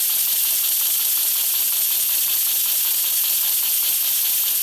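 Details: Diabolical model steam engine run on air after timing adjustment: a constant airy hiss from the exhaust with faint, irregular piston beats underneath, because the slide valve is blowing through to exhaust; the cure is to remove the steam chest.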